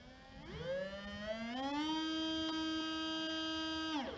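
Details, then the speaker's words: RocHobby Katana RC crawler, new replacement RGT FF050 motor bench-tested after old motor caused vibration and squeal: spins up smoothly to a steady clean hum and winds down, no grinding or ticking; quiet, healthy motor. "Look at that, super quiet."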